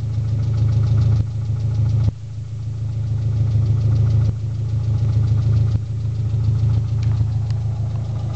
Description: My engine is making a ticking and knocking noise not sure what it is